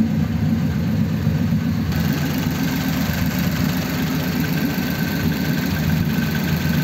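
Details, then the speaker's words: 1933 5-window coupe, worn "crusty" flathead V8 just restarted after nearly 3 years parked, idling in a closed garage: low, lumpy idle with an occasional faint stumble; slight misfire, which the owner expects to improve after a good drive. "Little bit of a miss there, but I'm sure it would be better, you know, get it on the road and give it a good drive."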